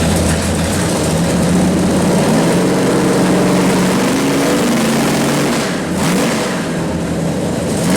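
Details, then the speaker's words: 451 stroker Mopar big block (1976 400 block) for a 1973 Dodge Charger, new Edelbrock Performer RPM aluminum heads, Sniper EFI, on dyno; pull from 4,600 rpm, 472 hp at 5,400; loud clean roar, no misses; normal high-rpm pull. "Man, that sounded a lot better. All right, so 4,600 RPMs is where we're starting from, because it's revving so quickly through the RPMs now."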